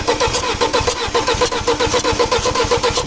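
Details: 2006 Audi A4 2.0T FSI with misfire, cranking: even starter beat near two per second, one compression stroke lighter; air felt escaping and valve found hot on that cylinder, consistent with a leaking valve.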